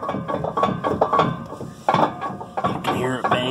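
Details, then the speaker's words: New Holland round baler sledge rolls rocked by hand: irregular metallic banging and clanging from gear slop, worn drum and idler gears badly need replacing though still working. "hear it banging and clanging. Mine needs the gears replaced bad."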